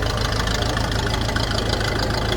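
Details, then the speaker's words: Old grey Fergie tractor running after years sitting in a field: an even, steady low chug at idle with no misses or knocks, sweet despite an oil leak. "anyhow regardless of oil leaks she's running and she's running sweet as a nut again"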